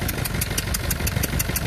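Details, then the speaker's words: Renault Clio 2 1.5 dCi diesel, unstable idle: sharp, regular ticking puff about every sixth of a second over the clatter; two injector seals leaking, compression escaping outside. "donc on avait les deux là qu'ils avaient d'eux qu'ils avaient de la qui habite la compression qui s'échappe qui s'échappe à l'extérieur"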